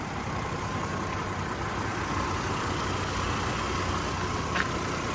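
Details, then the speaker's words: 2003 Chevy Trailblazer LTZ after a PCM replacement for idle and fan clutch issues: steady, even idle, slightly higher than before, with a faint whine near 1 kHz and no fan clutch ticking; idle sounds normal. "let's look at the idle now the idle looks a little bit higher uh little tiny bit but let's wait and see I don't hear the fan clutch ticking"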